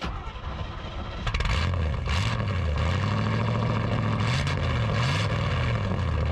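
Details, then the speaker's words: 1962 Chevy C10 pickup with a small block and an old single straight-pipe exhaust: loud, deep V8 burble rising and falling with throttle, firing evenly; it still sounds healthy. "So Rex conveniently has single exhaust straight pipe on a small block that Boom Tube did actually before I bought this thing. Still sounds good, don't it, Duff?"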